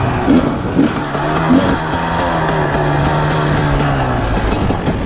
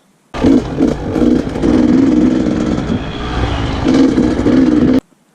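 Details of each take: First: 2020 KTM 300 XCW TPI two-stroke, warm, after replacing the crankcase pressure sensor to cure off-idle sputtering: crisp blips climbing quickly in pitch with no hesitation off idle; throttle response now clean and strong. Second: 2020 KTM 300 XCW TPI, stumble started around 10-15 hours: short throttle blips from idle where revs sag and stutter before pulling through; off-idle stumble blamed on a faulty crankcase pressure sensor, before replacement.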